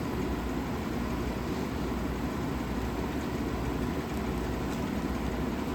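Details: 1956 Fedders Weather Bureau 6,000 BTU window air conditioner, Tecumseh compressor, after rewiring: steady even hum and airflow rush, no knocks, rattles or squeals; running normally.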